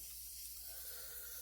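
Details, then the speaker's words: Reassembled Crosman full-auto BB magazine during a seal function check with CO2 installed: a steady high, airy hiss of gas still escaping after snugging; a check valve or seal leak is suspected, not confirmed. "I can hear it stopped hissing no it's actually still hissing"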